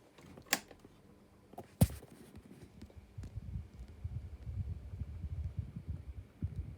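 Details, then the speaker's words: Desk fan switched on: two switch clicks, then an uneven low throbbing rumble as it spins up on very bad, worn bearings. "thing has got very very very bad bearings really unhealthy bearings"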